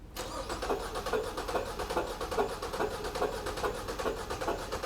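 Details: Four-cylinder engine, firing order 1-3-4-2, cranked with one spark plug removed during relative compression test: lopsided cranking about two beats a second, one stroke per cycle lighter; that cylinder has no compression.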